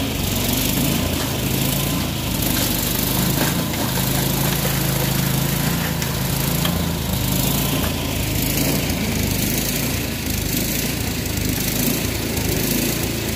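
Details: Troy-Bilt Storm 24-inch snowblower after clearing the air vent, adjusting the float tab and fitting a new spark plug: steady, even buzzing run with no surging or stumbling; engine running cleanly and holding speed.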